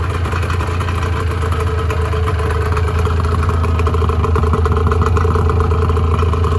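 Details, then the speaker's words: 1986 Honda NS400R 400cc two-stroke triple, first start after 11 months: deep, even burble with a light rattly patter, holding steady idle speed; normal healthy idle. "I'm not going to be riding it again this year we'll just Point leaving the carburetor's full of fuel so we'll run them down a little bit"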